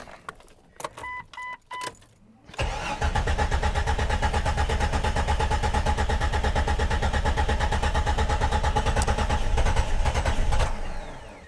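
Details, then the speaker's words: Jeep XJ, hard to start when cold since 2016, after sitting: brief cranking, then it catches and runs lumpy with uneven low thumping before clearing up; a fuel pump assembly issue is suspected. "wait for it yeah see runs like crap then eventually it clears up once it gets to this point it starts every [Music] time"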